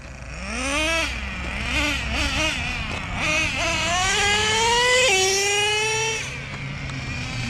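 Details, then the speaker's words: Nitro Revo 3.3 with new driveshaft upgrades, running at a track: high-pitched engine revs cleanly through the range without stumbling or rattling; healthy under load. "Yeah, sounds good. I'm real healthy."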